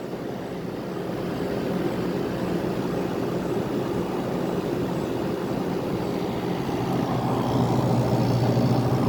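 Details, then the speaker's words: 1985 (or 1988) Westinghouse 5k window air conditioner, first test, with a compressor that has built head pressure and is cooling. An even compressor hum with smooth fan rush and no clatter; runs very smoothly. "now it's built head pressure this thing runs so nice it's so smooth"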